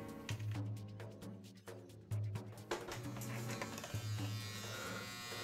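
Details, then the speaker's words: Modified Andis Outliner trimmer after armature and tension fork adjustment with sharpened blade: strong low steady buzz in short even runs, no rattle or chatter; quiet with plenty of power. "So if you can tell, it's quiet and it has quite a bit of power."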